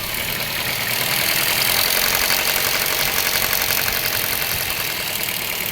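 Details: Car engine at idle: fast, thin metallic rattle of about four ticks a second over the engine; slack timing chain.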